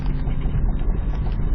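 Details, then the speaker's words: 1991 Mazda Miata MX-5 running after start-up: steady low rumbling drone with a rough, grumbly texture at idle, from a bearing in the transmission; car otherwise runs and drives very well; transmission bearing grumble. "And there is a bearing in the transmission that sounds a little"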